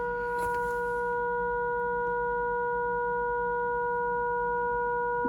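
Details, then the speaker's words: Arvin 257T tube radio during alignment, oscillator trimmer A4 adjusted with signal generator: clean steady whistle at full strength, no warble or crackle; set peaked correctly, normal alignment tone. "I better screw that in. So you can hear that peak. It's good."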